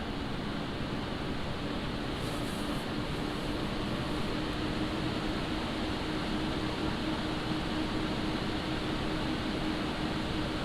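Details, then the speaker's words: Montech HyperFlow Digital 360 liquid AIO CPU cooler on an open bench, with the pump at full speed and the radiator fans ramped up: a steady, very light airy hum with no sharp pitch or whine. Normal, healthy fan noise. "Now, as you can hear, there is noise from the radiator fan, but it's not giving a very large, or should I say sharp pitch. Instead, it's a very light hum."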